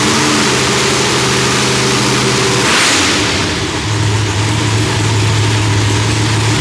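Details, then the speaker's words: Loud, lumpy V8 idle with a brief blip midway, then settling back to a steady uneven lope, running fine after the distributor trigger was corrected from rising to falling to stop fireballs; timing was about 6° off; new heads, idle still being tuned. "All right, car has been started. Yep, we got it running. It took a minute."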